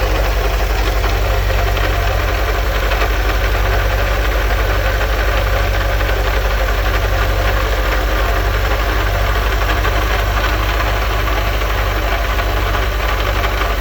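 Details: 1984 VW Vanagon 1.9L water-cooled at idle: loud low running with a steady rhythmic beat about four per second; an unusual engine noise, owner suspects the water pump pulley.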